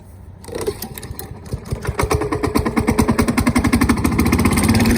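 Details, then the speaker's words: Toro lawn mower during tune-up and winterization, run to empty the fuel after washing under the deck: fires up unevenly, stumbling and surging before settling faster; low on gas, owner suspects water got where it shouldn't; rough running. "started up a little bit bad right there it is low on gas um and some water probably got up where it's not supposed to be"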